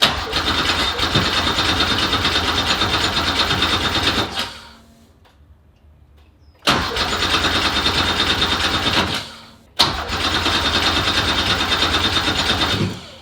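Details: 1969 Porsche 911 with a swapped Subaru EZ30R flat six on Haltech: fast, rough cranking catches for a few seconds, then fades out, and again on each retry; fires but won't keep running, cause unknown.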